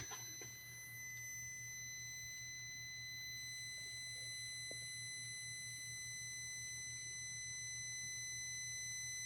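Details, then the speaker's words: 2005 VW Passat 1.8T GLS, crank-no-start, new fuel pump won't prime, about 4 A draw at key-on: continuous high-pitched warning beep with an electrical shorting sound; pulling the airbag fuse stops it, cause unconfirmed. "when I turn the key on I can't there's the long deep very long beep I can show you guys at the very end of this video and with that I can hear it's kind of a short a noise sound electric shorting sound there with the beeping"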